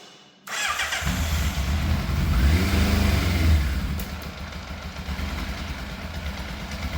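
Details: Fire-damaged Yamaha FZ750 four-cylinder, 41,000 miles, choke on, started on boost pack: catches after short crank, then holds uneven raised hunting idle; throttle push and pull cables fitted the wrong way round, holding revs up.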